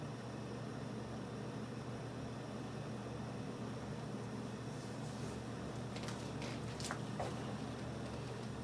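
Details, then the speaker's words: Superlectric box fan with a plastic-housed motor rebuilt with sanded shaft bearings, first run with blades on, low speed: steady low motor hum with a faint uneven flutter; the bent, uneven blades are throwing it off balance. "the blades are super uneven like bent and it's still making that sound"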